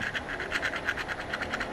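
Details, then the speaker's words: Old throw-out bearing removed during a Nissan S14 (KA24DE) clutch and flywheel job, spun by hand: a gritty, scratchy rasp pulsing about eight times per second from a worn, rough bearing that was replaced rather than reused. "Probably wouldn't have been a good idea to reuse that."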